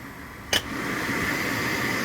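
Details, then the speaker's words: Inferno heater newly installed in a 2023 Honda Pioneer 1000-5 Trail Edition, wiring butt-spliced at the former cigarette-lighter connection; a click, then the blower spins up with a steady airy whoosh and faint even hum, running normally. "And I got high. Good news is, those floors are blowing onto the windshield, so hopefully it'll be good and warm."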